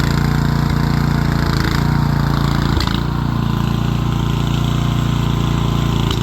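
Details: Rear-engine Snapper mower, Briggs & Stratton engine with new carburetor, stored over 10 years: steady low thrum with a slightly uneven beat, running fine; owner thinks the carburetor needs a little adjusting.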